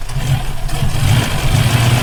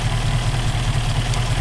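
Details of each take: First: Rover P5B Coupe V8, fault occurring only when hot: idles with uneven stumbling beat as cylinders drop out; ignition misfire traced by elimination, rotor arm and condenser swapped, caused by a loose distributor points nut. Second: Rover P5B Coupe V8 petrol engine idling with a deep, steady rumble and no missed beats after fixing a hot-engine misfire: loose distributor contact breaker nut tightened with thread lock, and condenser replaced.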